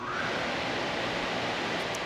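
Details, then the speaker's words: Flow-loop test rig (water loop with 10,000-gallon tank): pump flow switched from the cushion swing check line to the Surgebuster check valve line, and the valve opens to fill the tank. A steady even rushing hiss with no knocks, slams or chatter indicates normal flow through the open check valve. "so now we're going to have the flow from the pump going through the surge Buster check valve we'll be able to see that valve open up and again fill the tank up to the exact same pressure"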